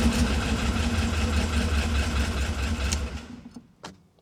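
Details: Maserati Ghibli 4.9 V8, first start after restoration and engine refit: a steady, even V8 rumble holds for three seconds, then dies away to quiet; engine running cleanly.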